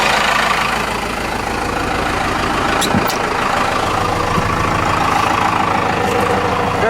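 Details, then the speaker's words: Cummins 4BT turbo diesel, about 71,000 miles, after fuel filter change and air filter wash: steady idle with even, unhurried clatter, no knocks or misses; good oil pressure, normal idle. "good oil pressure burn like a kitty"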